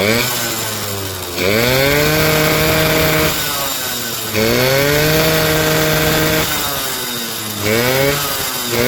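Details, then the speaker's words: Suzuki RC 100 two-stroke after cleaning heavy carbon from the cylinder head: engine sounds smooth, revs freely and roars through quick blips with light throttle response, breathing clear now that the carbon is gone; healthy revving. "suaranya halus pernah e mesinnya halus dan suaranya bisa Meraung ya teman-teman dan gas-gasannya terasa enenteng"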